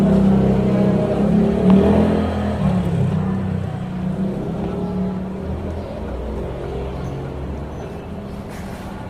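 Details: Mitsubishi Mirage driving: low road hum broken by sharp clunks from the front, a rattle/knock caused by a loose steering pinion.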